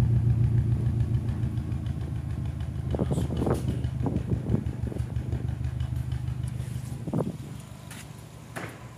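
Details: Turbocharged engine after an overtake: lumpy uneven beat with irregular thuds, still boosting but running very rich; cylinder 3 misfires with only 3.2 bar compression versus 12 bar, exhaust smokes and smells of oil.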